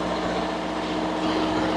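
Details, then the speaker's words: Steady, even diesel drone with a constant hum, no knocks or surges, from a reefer unit with C2 set to -30 degrees, its coldest, range about 35 to -30 °C; normal running. "C2 bật lên, chúng ta phải nói to hơn, hy vọng nó được nghe thấy. bởi vì với tiếng ồn của động cơ."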